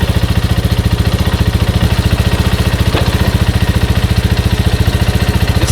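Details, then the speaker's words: Grizzly 125 single-cylinder, first run after over six months sitting, using car oil. Steady, even thump at about 3.5 beats a second with no knocks or misses: a normal, healthy idle. "sounds good just because i haven't ridden it in a while but it sounds sounds way better than what i remember"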